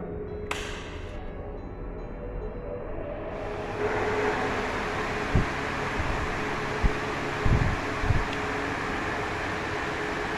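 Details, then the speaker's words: Crompton Greaves High Breeze 450mm pedestal fan from 2004, 1430 rpm, 100 W, after servicing with new SKF 6202 bearings: motor spins up to a smooth, steady hum, and the earlier gearbox noises are gone. "as you guys can see there's no weird noises all the weird sounds from the gearbox are completely gone"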